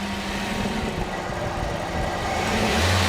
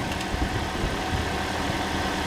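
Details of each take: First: Toyota with a replacement engine, hard to restart after being switched off: revs rise and hang unevenly instead of settling into idle; surging idle. A history code is stored; owner suspects a dodgy coolant temperature sensor or wiring and is swapping the sensor. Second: Toyota engine just refitted after an engine replacement, already primed, starts easily and idles smoothly and evenly with a steady low beat, no knocks or ticks, before coolant is added and bled; normal idle.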